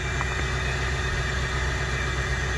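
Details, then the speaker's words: Ford Power Stroke diesel utility truck cold start at 11°F, in for rough running and engine noise: steady slightly rough cold idle with light gray-white smoke and a thin high whistle of the turbo spooling; normal turbo spool on cold idle. "you guys just heard that spool up but this 0660 is uh definitely been put to use"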